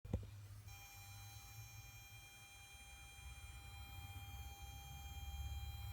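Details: Kenwood DPX-5000BT car head unit: a faint click then a steady thin buzz from the speakers every few seconds on every source, over a low rumble. Speaker buzz.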